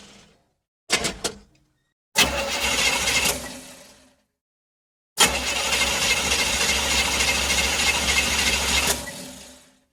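Starter churns in repeated bursts of a few seconds each, the engine never catching between tries; cranks but refuses to start.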